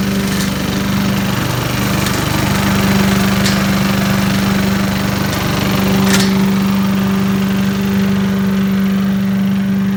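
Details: 1980s Billy Goat vacuum, small single-cylinder engine, after draining turpentine-smelling old fuel for fresh gas and a weak spark: runs steady and even without surging; needs extra pulls to start, owner suspects low compression, but runs like a champ once going.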